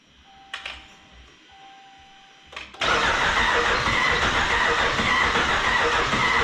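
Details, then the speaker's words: 2011 5.7 Hemi V8 junkyard engine swapped into a 2014 Dodge Ram 1500, first start after charging the battery: starter ticks, then a loud, harsh, clattery diesel-like run with heavy smoke; rough, dry-sounding first start. "Sounds like a diesel. Whoa. She's alive! Oh, and is she ever smoking?"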